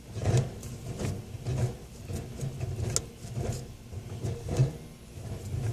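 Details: Car's shift lever rocked: loose, irregular clunks and rattles over a faint low hum, heard every time it goes into gear; owner suspects the shifter hitting the heat shield, not confirmed.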